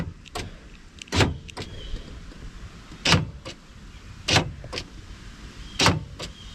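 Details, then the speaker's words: 1990s OBS Ford F250 Powerstroke diesel, key fob programming with key on and terminals bridged by screwdriver: sharp lock actuator clunks in separate bursts a second or two apart as locks cycle; normal operation. "You hear the door lock cycle. Holding the button down."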